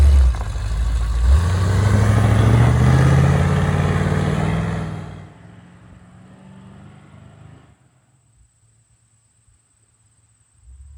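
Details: 1979 Ford Bronco V8 revving after a restart from sitting: a deep, strong rise and fall with crisp, even firing and clean throttle response; healthy, it still rips.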